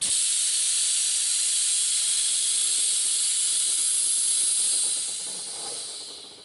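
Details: 2003 Duramax C4500 rollback air ride, compressor off, key on, normally open valve grounded to close before dumping: strong steady high-pitched air rush about five seconds then tapering; valves dump properly, no leak.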